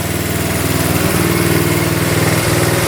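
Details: 1972 Honda CT70 single-cylinder, all-original auction bike being revived after a bogging issue, idling in neutral after rewiring; steady, even beat of about four per second, no misses or knocks; healthy normal idle.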